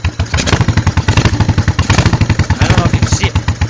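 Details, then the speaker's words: 1986 Honda Shadow 1100 V-twin, very high mileage, starts easily: lumpy, uneven idle with irregular chuffs and off-beat pops, carburettor puffing back; rear cylinder misfiring, cause unknown. "the rear cylinder misfires in a weird way I'm I don't know what's wrong with it"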